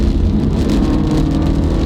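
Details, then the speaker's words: Subaru at about 60 mph in rain, accelerating and shifting smoothly: a steady low drone from worn rear wheel bearings that are starting to fail. "but I can really hear the rear wheel bearings they're going out I hear them huming"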